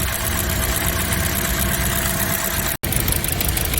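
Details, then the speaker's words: Car idling with rough shaking and hiccups at stops; coils pulled one by one, coils 1–3 fine. Lumpy, stumbling idle with one cylinder dead: coil no. 4 gives no spark, failed ignition coil needing replacement. "4นะครับอ่ะเราเจอปัญหาแล้วนะครับคือตัวที่4แต่มันไม่มีกำลังไฟเลยนะครับ"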